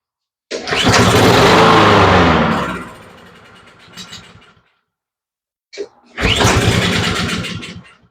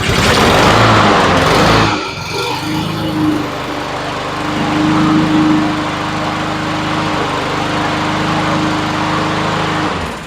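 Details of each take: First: Honda push mower with fresh fuel added: it catches and runs a couple of seconds, then sags and dies when the choke is opened, restarting and fading again. Suspected slow fuel flow to the carburetor bowl or a clog; not confirmed. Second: Honda push mower small four-stroke that wouldn't start, after cleaning carburetor jets and checking the float: after a rough start it settles into a steady, even drone with no surging or stumbling; normal running.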